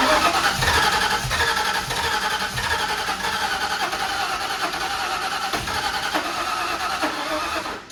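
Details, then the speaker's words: 1991 Ford Mustang 5.0 LX, stock high-mileage shortblock with Vortech supercharger setup, first fire attempt: uneven cranking with sputtering pulses, never catches; crank-no-start. Owner suspects ignition timing too advanced and a weak battery; MSD about to be bypassed. "and start now sounds like it might have a little bit too much time in there battery don't sound great either that technically sound like it's firing"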